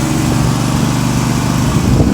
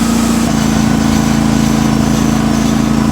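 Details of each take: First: 18hp Briggs & Stratton Vanguard V-twin swapped into a John Deere 316, running outside on 3/4 choke with the air filter refitted: rough, uneven sputtering that dies when the choke is removed; lean running from a clogged main jet. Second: John Deere 316 with swapped 18hp Briggs & Stratton Vanguard V-twin, after carburetor and fuel shutoff solenoid repair, warmed up, no choke: strong, even drone at high RPM, no misses, popping or surging; normal high-rpm running.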